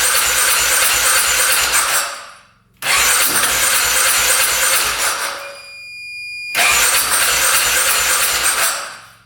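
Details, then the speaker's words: 2010 Polaris Sportsman 550 EFI ATV that hadn't run in years, cranking after a clogged case breather line was cut to release pressure: three long bursts of steady rapid cranking with pauses, engine never catches; cranks but no start. "Sound like wanted to go there for a sec. Keep on going with it."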